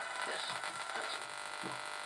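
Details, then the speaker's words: HMV model 1421 transistor radio, likely on medium wave, after resoldering a transistor lead restored reception: weak radio sound with a steady low buzz underneath; annoying hum persists, source not yet found. "still got that annoying buzz, so we'll worry about that at a later date, but we got back where we were before."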